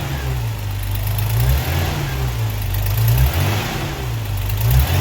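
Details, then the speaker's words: 1979 Opel Monza series 1 six-cylinder after the injector fault was sorted; deep, even rumble swells with each throttle blip, no miss, running on all six; an exhaust leak remains and the tappets are still unset. "But that's really good, really good. Sounds good. We're running on 6, definitely."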